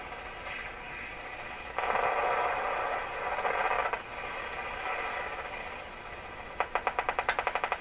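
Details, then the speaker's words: Deforest Crosley shortwave radio after IF transformers tuned to 456 kHz; hiss and static with fast regular ticking whose rate varies with tuning; owner suspects preamp tube bad connection; periodic ticking noise. "That's strange, because it's the rate of that ticking noise seems to vary with where I have the radio tuned, as if that noise is coming out of the radio itself."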